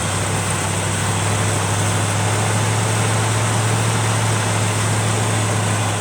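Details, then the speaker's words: 1971 Chevrolet C20 pickup with freshly swapped-in 454 V8 replacing 402 that dropped a valve: low heavy uneven loping idle under steady drone, idling badly; owner suspects vacuum leak at carburetor base, battery contact also poor. "Whoa! Oh! That thing, not idling worth a poop. It's got a vacuum leak at the base of the carburetor."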